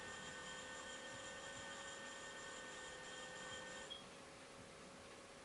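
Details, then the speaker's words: Commodore 4040 disk drive, already sounding noisy: thin, steady high-pitched squeal over the quiet drive hum, dropping away near four seconds; drive squealing, cause unknown. "sounds like it could use it it's squealing a bit so I'm not gonna do any more chips Wapping"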